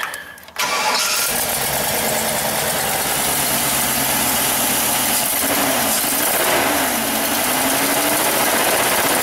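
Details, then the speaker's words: 2005 Chevrolet Express 3500 6.0 box van, after restoring 12 volts to the crank sensor: cranks, catches quickly, then stumbles into an uneven idle with irregular skips; misfire, cylinders 6 and 8 the biggest culprits. "ah sweet baby sounds like it's skipping like crazy here yeah we wanted data definitely sounds like got a pretty missfire"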